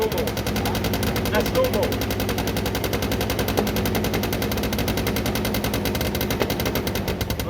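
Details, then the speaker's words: Derbi 100cc two-stroke after carb clean, airbox refitted, fresh premix fuel, choke left on: fast, crackly, uneven spitting popping; rough running, spark plug found very wet and dark (fouled), cleaned and restarted with choke off. "i think i left the choke on this one so now it would be over so chug should be off now even though it sees all right guys clean the spark plug it was very wet and dark"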